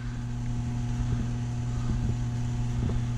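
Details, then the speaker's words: Taco circulator pump in a snowmelt system, tested before startup. Steady low hum near 100 Hz with a faint buzz and occasional light clicks; pitch changes when the pump is pressed. Owner suspects vibration through the copper, not air; possibly normal. "the part i'm not sure about is the hum you hear the humming the i can hear that this pump [Music] it does change pitch when i push on it so it might just be the vibration through all the copper"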